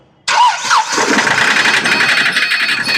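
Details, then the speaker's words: 2013 Hyundai i10 Grand Magna diesel, long parked: starts then runs harsh with rattly knocking, hunting speed and heavy black smoke, no DTC or check engine light. "तो इसमें से बहुत शोर आ रहा है, बहुत धुआं निकल रहा है, और चेक इंजन लाइट नहीं जल रही है।"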